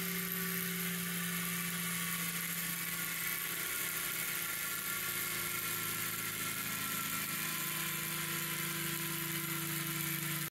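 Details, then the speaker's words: 1908 Spencer Turbine central vacuum electric motor, about 115 years old, running uncoupled before its bearings were replaced: steady hum and even whir, no knocking or grinding, normal no-load running. "here is another short clip of the motor running uncoupled it sounds pretty good for 115 years old"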